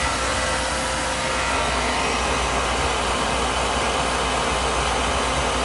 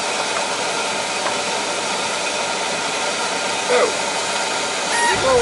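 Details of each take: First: Oil boiler burner that had run out of oil and previously sputtered, after a service visit with good draft over the fire: steady, even roar and smooth flame with no pulsing or sputtering, a little crusty but working, normal. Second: Oil-fired boiler burner after running out of oil, line bled: loud, deep, steady roar with no pulsing, not choked; sounds like an oversized nozzle, to be replaced with a smaller one.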